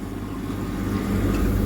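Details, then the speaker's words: Scotsman MC46 ice machine after control board repair, on water fill cycle: steady low hum with water sloshing, circulation pump, compressor and triac-controlled fan running normally; only the freezing light fails, no ice yet. "Okay, partial success. As you can hear, the water is sloshing around. Circulation pump is running over there. Compressor's running, and the triac controlled fan is operating fine."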